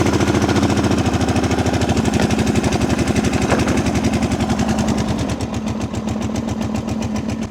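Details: Abandoned machine started with carburetor blocked by hand since choke is seized: V-twin catches and settles into a steady even firing rhythm about two beats a second, running cleanly on its own.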